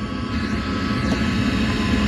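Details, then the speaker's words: 8 kW 12 V diesel air heater installed in a Bayliner 2455 Ciera boat, running a while; steady low rushing draw with smooth, even hum, no knocks or surging; normal intake airflow. "the intake you can hear it's sucking air it's down there and the exhaust is all the way over here this thing works man"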